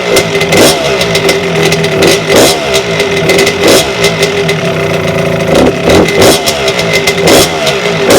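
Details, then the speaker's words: 1992 Suzuki RM125 two-stroke dirt bike, first start after a five-month rebuild with the carburetor newly installed: crisp crackle rising sharply on each throttle blip and dropping back evenly, no misfire or rattle; normal running, and idle still needs tuning. "it sounds good it sounds really good hi I definitely need to race the idol"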